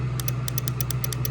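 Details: Newer Yamaha Grizzly ATV won't start: rapid sharp clicking, about eight a second, from the starter relay while the engine never cranks.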